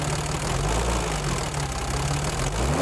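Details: BMW 325i E30 M20 at cold idle just after first-ever valve clearance adjustment to factory values: steady fast light tappet ticking, louder than before adjustment; idle higher than previously.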